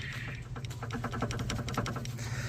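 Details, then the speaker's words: Mitsubishi Eclipse rear suspension: irregular hollow knocks as the loose rear sway bar end link with torn boots is rocked by hand; source of rear clunking while driving, being replaced with rear shocks. "this is what's been clunking around in the rear end of the car driving me freaking crazy we's see if I can get it on camera for you but yeah it's loose right there"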